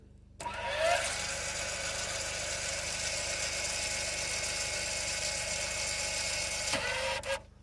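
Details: Electronic parking brake caliper motor run directly from a 12 V battery with leads reversed: steady high whir for about six seconds, then a clean cutoff as it winds the piston fully in; normal operation.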